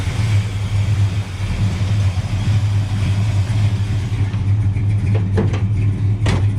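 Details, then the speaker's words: 1969 Dodge Coronet 500, numbers-matching 383 V8 with 4-speed manual, heard at idle with the hood open: deep, even rumble with a steady beat, no ticks or knocks. Normal idle. "i'll open the hood let you hear it idle it's not making any noise or anything motor sounds really good"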